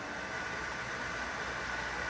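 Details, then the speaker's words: Pool pump running with a Zodiac Barracuda G3 suction vacuum: a steady airy hiss and changing pitch as the pump strains from too much suction to the vacuum. The fix is to back the suction off. "here it changing volume it's changing its sound that's telling me I've got too much hear that that's telling me I've got too much suction to the vacuum"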